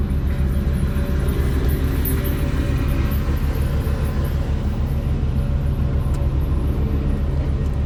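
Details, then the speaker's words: Yamaha F300 outboard power trim after seal replacement and refilling with fluid, cold day around 42 degrees: a steady low pump drone with an uneven, lumpy pulse as the trim rises; a little air still bleeding out. "You can hear a little bit of air at the end of that. It's good. Definitely needed some fluid."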